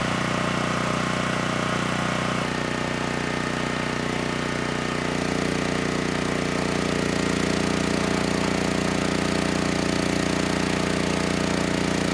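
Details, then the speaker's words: Generac GP6500E generator after repair of seized engine, warmed up, under load up to 6,000 W near max: steady governed speed, note settling slightly as load comes on, no knocks or surging; held 121 V, just below 59 Hz, healthy. "This generator had absolutely no issues handling the load."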